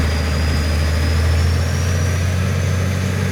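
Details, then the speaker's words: Esarco 8x8 Land Rover-based truck, old VM diesel, driving under its own power for the first time in 25 years after clutch slave repair: deep, steady, even low diesel rumble, no knocks or misses; running smoothly. "i haven't touched the brake pad it sounds sweet isn't"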